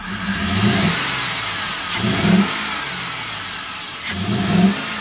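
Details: Chevrolet Z71 single-cab truck; after swapping in another spark plug, three quick throttle blips rise unevenly and drop back, still slightly rough though running a little better. Cause suspected, not confirmed.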